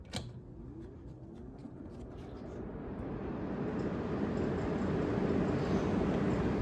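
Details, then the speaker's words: 1974 Friedrich Quietmaster air conditioner on low fan, with a 35/10 µF capacitor zip-tied to stop it rattling and windings checked fine. A soft, even rush of air builds and holds steady with no rattle or hum: normal quiet fan operation. "Video won't do justice in person. It's really quiet, especially when it's installed."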